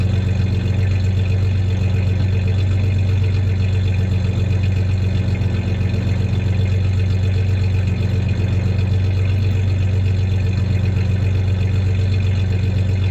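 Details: 1993 Ford Ranger 3.0 V6 idling with a slight misfire, faint uneven pulse every so often, plus a little rev; any clanking is tie-downs in the bed, not the misfire.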